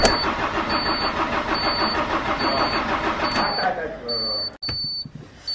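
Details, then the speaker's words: 1992 Autostar 491 camper on a C25 chassis, old diesel long unstarted after winter storage, glow plugs preheated. Laboured, uneven slow cranking with unexplained warning beeps, never fires. Owner suspects a flat battery. Slow crank, no start. "Pour le moment ça démarre pas. On va réessayer, on relaisse préchauffer."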